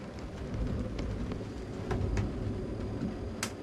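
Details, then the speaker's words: Dickinson diesel stove on a sailboat, warming up for a couple of minutes before the damper is lifted and the setting turned down to 1.5: soft, uneven surging roar with pops and crackles as the diesel catches; normal burner warm-up. "Can you hear that sort of surging burning? Is the sound of the diesel starting to burn."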